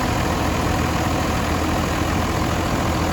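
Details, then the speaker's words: Cummins diesel in a RAM 2500 after turbo rebuild with new turbo showing slight shaft play: steady idle with faint, even high whistle from the turbo spinning freely, clearer with cover off, no grinding; normal turbo spin at idle. "spinning like it should. Not as of right now. Pop this cover. You can hear it spin a lot better."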